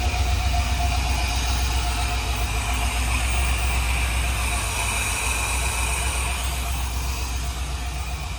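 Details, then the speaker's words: LS V8-swapped Nissan 240SX S13 on standalone ECU, new motor, first start, little tuning needed. Deep, steady V8 burble holding an even idle with no misses or knocks; normal idle. "She's idling. So, since the first start, um I didn't really have to do much tuning."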